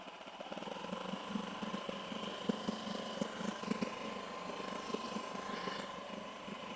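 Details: 8 hp four-stroke outboard, rebuilt after a broken connecting rod from running without engine oil, choke now off, in neutral: even, quick idle with light valve patter and a steady cooling-water stream; running clean and healthy.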